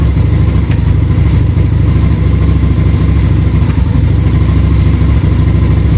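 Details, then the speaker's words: V-twin motorcycle with idle turned up during cylinder synchronization: a loud, low loping idle of about 160 beats a minute that stumbles irregularly because the cylinders are out of sync, starting to come together but still breaking up. "Listen to that idle come together. Still breaking up a little bit."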